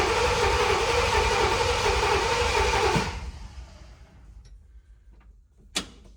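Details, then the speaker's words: Ford F-100 not run in 3–4 months, new fuel and serpentine systems, no fuel in it, cranked only to check oil pressure, battery condition uncertain: starter spins engine evenly about four turns a second for three seconds, never catches; normal cranking. "All right, so really, like I said, there's no fuel in it. We're just gonna check to see if we read oil pressure."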